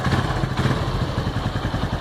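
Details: Honda Pop 110 after engine repair (power parts replaced): small single idles with an even, steady thump and no tapping or knocking; quiet, healthy engine.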